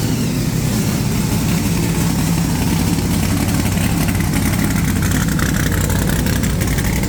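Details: Supercharged big-block Chevy V8 just refitted in the ute, oil pump primed, timing set, no coolant yet: deep, even burble picking up smoothly when revved, no knocks or misses; running healthy.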